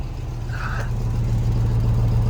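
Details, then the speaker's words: Range Rover P38 4.6L V8 idling while warming up, heard from outside: a deep, pulsing rumble with a rapid puffing tick. The exhaust leak is suspected, not confirmed, and there are no excessive fumes. "let's hear it from the outside that sounds like an honest just an exhaust"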